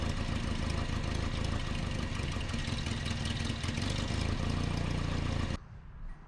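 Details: 1988 Nissan D21 truck, 2.4L Z24 engine: low, lumpy idle with an uneven beat and slight rise and fall in loudness; rough surging idle, vacuum line leak diagnosis.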